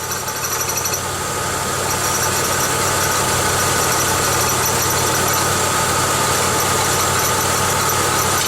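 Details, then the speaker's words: 1995 Pontiac Grand Am idling: fast even chirping squeak about three a second, with rattle as engine shake increases under load; it sounded like an alternator bearing but came from a temporary coat hanger holding the catalytic converter, and cutting it off stopped it. "actually it wasn't adding loads to the alternator it was tossing the alternator to squeak it was causing the engine to start to shake more and then that made this rattle"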